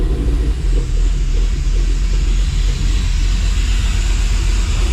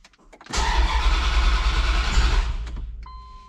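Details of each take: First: Dodge Dakota R/T 5.9L Magnum V8, new heads and cam, just started after rebuild. Running while fuel sync is set to +4 degrees with a Snap-on scanner, about 1,000 rpm. Low steady even rumble, no ticking or knocking; normal idle. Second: Dodge Dakota R/T 5.9L Magnum V8, freshly fitted heads and cam. Fuel system primed for the first start attempt. Two seconds of even cranking at three to four compressions a second, never fires; crank-no-start, distributor 180 degrees out.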